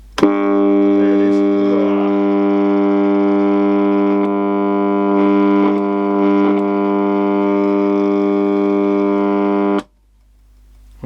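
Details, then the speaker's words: Copal Shahan RD-100 flip clock radio alarm: harsh buzzy tone for about ten seconds, then cuts off; distortion from the small speaker, not an electromechanical bell. "so it sounds like an electromechanical sort of one but it isn't it's just a horrible bit of distortion out of the speaker"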